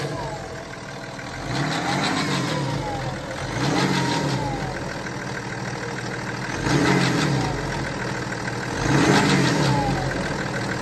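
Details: 2012 BMW X5 30d E70 diesel, with chronic timing chain failure starting around 250,000 km, blipped four times: a faint metallic rattle and whirr rise and fall with revs; timing chain noise suspected, not confirmed.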